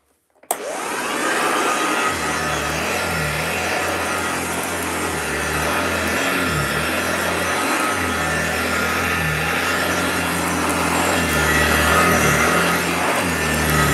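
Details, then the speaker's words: 1968 upright vacuum, long stored in a loft, running on carpet, heard at floor level: smooth steady motor whoosh with a low even beating hum, no scraping or knocking. Runs normally, needs some TLC. "yeah that's not bad at all it's amazing it's been left for so long I thought ah it does need a bit of TLC"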